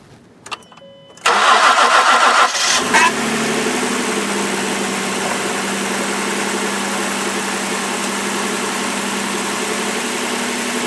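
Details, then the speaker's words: Ford Edge cold start at 5 below zero, with transmission fluid at -2 degrees and coolant reading 50 after start: a short crank, quick catch, high-idle flare, then an even, steady idle with no misses or knocks. Normal cold start. "So we want to go ahead and we're going to start this thing up. Let's listen to her crank over and see what goes on."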